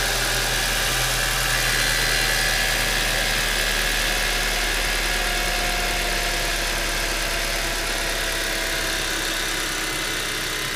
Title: 1.8 T Strange Engine Sound